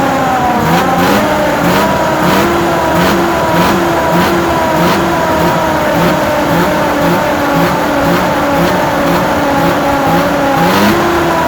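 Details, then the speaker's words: Snowmobile, started once every couple weeks and given a few revs: engine spins up and settles back in repeated even blips, clean steady tone, no knocks or rattles; sounds good, normal revving. "But I come out here and I start it like once every couple weeks and just give her a few revs."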